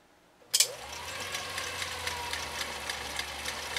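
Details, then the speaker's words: 1955 Viking Type 21 (Class 20, 1.5 A) sewing machine sewing in slow gear via bobbin-winding gear reduction: sharp start, then even steady whir with soft regular ticking, sounding held back; normal slow-gear running. "listen for that uh the the machine will sound like it's being held back and it is uh because of a gear reduction that happens in the bobbin winding assembly"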